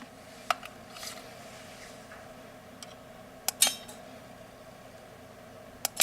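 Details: Pitch brakes after troubleshooting, motor relays removed so only the brakes operate, engaged by RF remote: a few crisp single clicks several seconds apart in a quiet room, all brakes engaging together; fixed and working.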